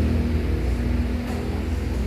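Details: Honda Vario 150 keyless scooter with totally dead electrics, fixed by tightening a loose connection. A short burst of the engine catching and running on a steady low hum, no stumble; it starts and runs fine.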